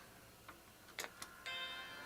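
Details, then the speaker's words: Apple Macintosh II after logic board trace repair, booting from an external SCSI drive, possibly without an FPU: soft clicks, then a clean, sustained startup chime. Normal chime, though a bad F-line instruction error follows. "chime look at this thing turning on like a computer"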